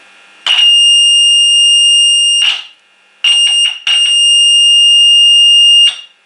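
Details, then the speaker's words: Valve radio receiver power stage, test signal injected at control grid pin 2 of the output valve: loud clean high-pitched tone in steady bursts, output valve, transformer and speaker working. "ahora le lo pondremos en el punto C Que es en la reja control directamente en la patilla dos y ahora sí que se tiene que oír un pido fuerte y bien"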